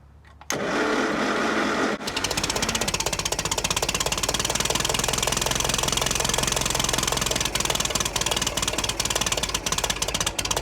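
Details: 1950s Massey Ferguson TEA20 tractor after fuel tank sealing and new wiring loom: starter grind, then engine catches and settles into steady even idle with a crisp regular beat; normal idle.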